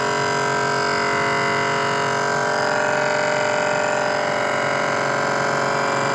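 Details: Samsung inverter fridge: steady tonal drone with several pitches and fast pulsing about four beats a second; abnormal running noise, cause not clear.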